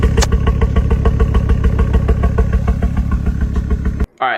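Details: Ford Focus XR5 Turbo that started spluttering on a drive, before new coil packs and Bosch RS spark plugs: uneven, lumpy idle with a steady stumble about twice a second; one cylinder dropping out, coil or plug misfire.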